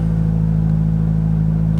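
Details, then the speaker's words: 2006 Toyota Corolla at idle on a 34°F day, after rear oxygen sensor replacement for P0037: a steady deep idle drone, louder and boomier than stock with a strong low hum, because the muffler snapped off. "and yeah you probably hear it's a little loud muffler decided to snap off last night so that's going to be your next video"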